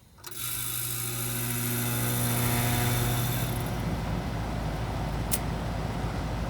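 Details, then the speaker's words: Goodman gas pack package unit not cooling, breaker tripping: strained hum and whine rises about three seconds then drops as the compressor trips, condenser fan at half speed; compressor running hot with a bad, grounded winding. "something started making noise before we even gave it this leg say like something going on with a compressor to me"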